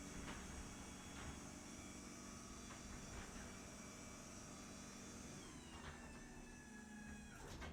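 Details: Garage door opener: new DC-powered belt-drive opener replacing the loud 2005 AC chain-drive unit, with new nylon sealed-bearing rollers and silicone lube; low, even motor hum, a few soft clicks, no chain clatter; quiet, normal operation.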